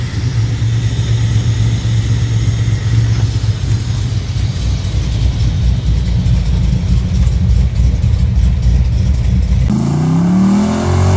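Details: 1981 El Camino with LT1 V8 and T56 swap, new exhaust, running without serpentine belt after replacing a possibly cracked spark plug: deep throaty revs climbing and settling with even pulse, no stumble; now healthy on all cylinders.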